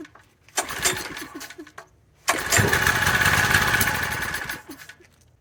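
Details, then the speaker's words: King Canada 1500 W generator with Chinese engine, oil topped up: two pull-start attempts, engine spins briefly with rough chuffing but never fires; spark to be checked next. "okay didn't quite get up to speed okay no one wants to fire tried once that's going to have to check for spark"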